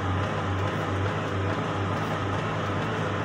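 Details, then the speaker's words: 2010–2011 Hyundai Porter II, manual transmission, driving in second gear at light throttle onto the road: low engine note pulses unevenly, surging and bucking; revs vary, also in first and third, and it clunks on acceleration and deceleration; clutch fault suspected. "vamos a poner segunda pueden ver cómo pironea es hasta inestable ir conduciéndolo y vamos a entrar a carretera pueden escuchar"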